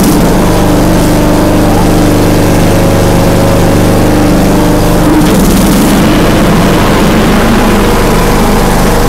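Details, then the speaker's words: John Deere D105A riding mower after deck belt replacement: steady low engine drone with blades spinning evenly, no slapping or squeal; normal running. "listen wo we're riding boys it's working let's see no black fire sounds like it's good let's test it"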